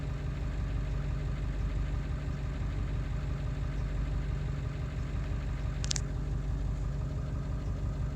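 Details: Ford 7.3 diesel running after ICP sensor replacement, still not running well: low idle with a lumpy, uneven beat and occasional stumbles; rough idle, cause not found.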